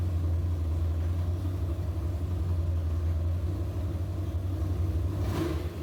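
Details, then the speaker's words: Big-block Chevy 402 V8 truck, first start, 60 psi oil pressure: deep, lumpy, lazy rumble with a soft rev near the end; the timing is still too retarded after moving the plug wires, so the distributor needs advancing slightly. "what I'm gonna have to do is pull that distributor out and move it around just a little bit Advance it just a little bit"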